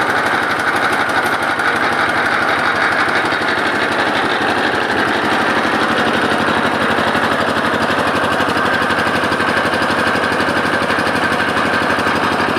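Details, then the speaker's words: Lister LD1 single-cylinder air-cooled diesel, 4.75 hp at 2000 rpm, about 65-70 years old, driving generator: loud steady clatter about two beats a second over diesel thump; lift chain slapping, not engine internals. "แล้วก็เสียงดังเมื่อสักครู่เนี่ยดังชัดๆๆๆคล้ายๆเครื่องจะพังเนี่ยมันมาจากอาการสะบัดของโซ่ของตัวลิฟตัวนี้นะครับมันสะบัดนะครับไม่ไม่ใช่ดังมาจากในเครื่องนะนะ"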